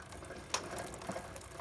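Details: Chinese quad bike chain after shortening and adjusting, oiled with chainsaw bar oil, wheel spun by hand: light, even ticking and whirring, no slapping or grinding; a little play left, but tight enough to stay on.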